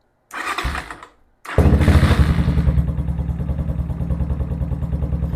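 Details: Venom Ghost Chopper 250 single during charging system check with multimeter on battery: short crank, catches and settles into even, steady thump with crisp blips, charging voltage rising normally; normal running and revving.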